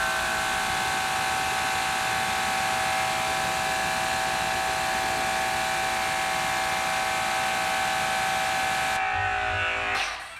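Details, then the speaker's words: DeWalt electric pressure washer rated 2400 psi and 1.1 gpm, spraying; steady high whirring hum with constant pitch, nice and quiet, cutting off cleanly; normal running. "so far i'm really impressed it sounds amazing sounds nice and quiet has the total stock"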